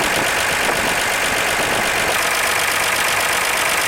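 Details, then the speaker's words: 1948 Chevy stovebolt straight-six, first run since 1989: steady even idle with light regular valvetrain tick and no knock; vacuum and oil pressure slightly low, carburetor or intake bolts suspected, valve lash later readjusted hot; normal idle. "man it runs good"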